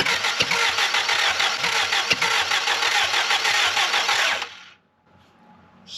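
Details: Willys L-134 engine in a Jeep FC-150 frame, cranking after the plugs were heated: starter spins it steadily at about three and a half turns a second with no firing, then stops. A later compression test shows the same on every cylinder. No compression.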